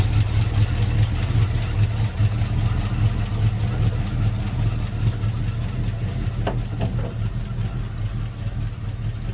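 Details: 1971 Mercury Comet GT V8 with roller lifters and a small cam, backed off the trailer: rough chugging idle with uneven clack on the firing beat, about 146 per minute, down on power; suspected collapsed lifters or bad cam, metal and needle bearings in oil.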